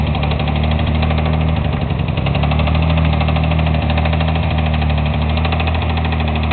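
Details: Mitsubishi 3000GT VR4 petrol V6 idling with a deep, steady rumble and a regular knock, the reason the engine has to be rebuilt.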